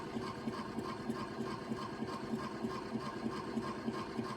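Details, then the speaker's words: Teletone record player: a steady rumbling drone with a regular thump about three times a second from a dented idler wheel; the wheel is unobtainable, so a fix seems unlikely. "I don't think there's anything I can do it's just it's got that dent in it I don't it was probably loud even before the dent and uh you can't get that that Idler Wheel anywhere"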